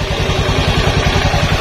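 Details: Honda Beat carburetted scooter with the safety switch off and an LED test lamp on the pulser wire: even, steady low thumping at about fourteen beats a second with no misses or knocks. Normal idle.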